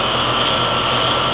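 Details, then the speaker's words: Heat pump outdoor unit with a suspected faulty TXV that was short-cycling in cooling: running in heat mode bypassing the TXV, with a steady even fan rush and a smooth compressor hum. Normal running with normal pressures. "we are running in heat bypassing the TXV and we have normal"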